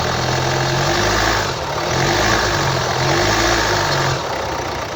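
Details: 2011 Hyundai ix35 F5D14, 2.0 D4HA diesel, 184 PS, 180,999 km, at idle: loud uneven wavering knock swelling and fading about every second; attributed to a defective control unit.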